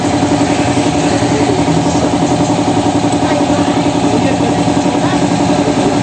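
Smooth, even idle with a steady mid-pitched hum and no grinding or rumble from the rear drive; running quiet and healthy.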